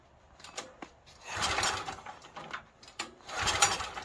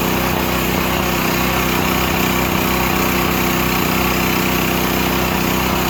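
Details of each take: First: Stanley 8000 W generator bought used and left sitting four years, pull start with choke: two short whirring recoil pulls about two seconds apart and it never catches, cranking but no start; owner suspects a stuck float and will retry ether. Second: Used Stanley 8000 W all-weather generator, sat four years, running after a starting-fluid start, choke off; steady, even drone with no misses, knocks or surging, settled constant run, normal running.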